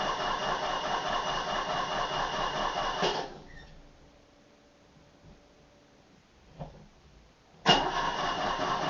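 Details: Old Opel car not driven for a long time: starter grinds on for about three seconds, pauses, then cranks again without the engine firing; hard starting with prolonged cranking.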